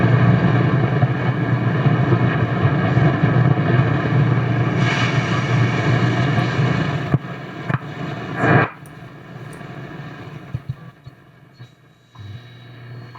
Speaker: let's take a listen to the shortwave bands real quick here and see how well they perform